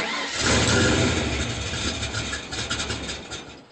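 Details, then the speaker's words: Rebuilt 1995 Mustang GT, base timing set 10° BTDC, spout connector unplugged, timing light and vacuum gauge attached: cranks, catches, runs unevenly then dies, won't hold idle; with spout in it idles rough at 15 psi vacuum. "but with the spout connector out it will not idle at all it just dies so I can't even hit it with the timing light because it won't stay on"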